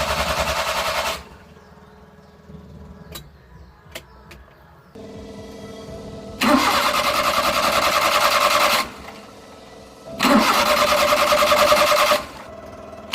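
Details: Suzuki F6A Multicab engine: starter spins the engine at a steady, even rate in repeated bursts but it never catches or fires; cranks but won't start, cause not confirmed.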